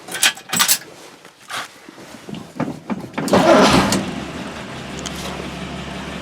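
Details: 1960 Dodge Dart Seneca with newly installed engine after over 10 years storage, timing not yet set: a few clicks, then catches and settles into a smooth, steady, even idle with no misses or knocks.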